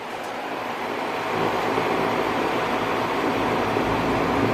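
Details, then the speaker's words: Lennox S40 variable-speed outdoor unit outside a bedroom window, compressor ramping: soft steady hum with fan rush, slowly rising; no knocks or rattles; homeowner used to quiet unit, not loud to technician; normal running. "And dealing with these variable speed compressors, though, I don't know when, you know, it's going to ramp up and down, but"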